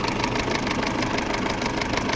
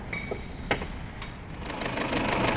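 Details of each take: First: Peugeot 607 2.2 petrol, after timing belt work with camshafts and crankshaft locked and marks checked: steady idle with a faint, regular light tick in time with the engine, some noise still from the timing end; slight knock remains but better than before. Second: Peugeot 607 2.2 petrol after timing belt work for harsh knocking near the camshafts/timing area: cranks, catches and settles into an even, light ticking idle with no heavy knock; better than before.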